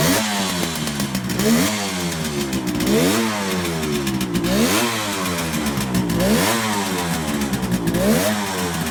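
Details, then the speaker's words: 1971 Kawasaki H1 500 two-stroke triple with a rebuilt engine: a rough, uneven rasp through rev blips with beats dropping out. There is no spark on the center cylinder; ignition or plug cap is suspected. "okay we're testing the ignition but we have no spark on the center cyinder so we're going to try to figure out [Music] why"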